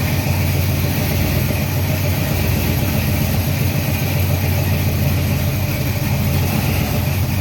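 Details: Freshly built 350 Chevy small-block on first break-in run, oil pressure around 46 psi, timing not yet set; deep, even rumble with no knocks or ticks: normal fast idle.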